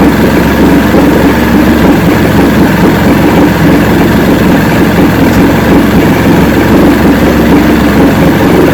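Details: 1970 Evinrude 85hp outboard with hydroelectric shift, about 50 years old, new water pump impeller, running on a water container. Constant, evenly paced idle with a steady low drone and no missing; carburetors seem in good shape at idle, full throttle still untested.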